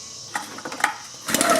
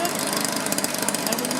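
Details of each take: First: 2-cycle blower pulled on choke with the dirty air filter removed: quick whirring, rattling cord pulls that never catch or fire; hard-start history, ran about half an hour then quit; no spark suspected, ignition coil suspected. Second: Two-stroke blower after no-spark/weak-spark repair, warming up with carburetor limited to quarter-turn adjustment by restrictor caps; fast even buzz with steady crackling exhaust, holds speed without misses or surging; normal running.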